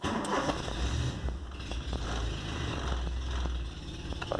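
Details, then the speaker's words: VW Golf MK3 single-point injection with the throttle position sensor connector left unplugged: idle runs low and uneven, sagging and wavering before dying when the throttle is released; unstable idle and stalling from the unplugged sensor. "o pé do acelerador aí morre e chegava na frente a fazer tudo certinho o que aconteceu foi eu só esqueci de ligar o é o conecta o uso do sensor de posição de borboleta"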